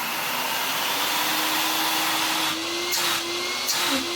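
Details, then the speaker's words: Vax Rapide 5150 3-in-1 vacuum, an eBay unit missing most parts, on first power-up after cleaning. Steady high airy whoosh with an even motor tone and no rattle or grind. The motor sounds really good despite its looks and is running normally. "For a motor that looks and sound well looks like that, it sounds really good."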